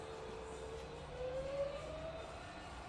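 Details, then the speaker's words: Rebuilt Bridgeport milling machine head in high range, spindle running up from about 550 rpm through 1200, 1800 and 2500: quiet, smooth hum rising steadily in pitch, no grinding or rattle; normal run-up. "Okay, so you can hear how quiet the head's running. It's really, really smooth."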